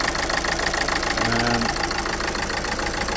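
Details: 2011 Renault Scenic 1.5 dCi diesel idling with poor starting: uneven lumpy beat about three knocks a second over the clatter, cylinder 1 misfire; fault code cylinder 1 control circuit open circuit 020113; injector suspected, replacement pending, not confirmed.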